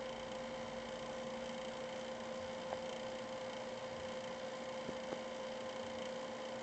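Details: GPU fan running above 60% for over 5 minutes: steady high fan rush with a thin constant whine on top, growing louder over time; abnormal fan noise, cause not yet clear.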